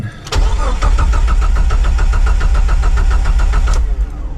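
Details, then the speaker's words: 2000 Jeep TJ that died on the road, with codes P0351-P0353 for coils 1-3 and a coil pack swapped: steady cranking but never catches; a blown 20 A fuse was found, with a 10 A fuse fitted where the O2 sensor's 20 A belongs. "I checked the fuse box. 20 amp fuse is blown. Let's try that."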